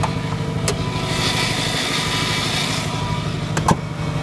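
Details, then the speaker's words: Subaru Forester startup after AC compressor clutch bearing replacement: smooth idle with a faint steady whine, which is just the power steering. "yes see that's just that's just the power steering"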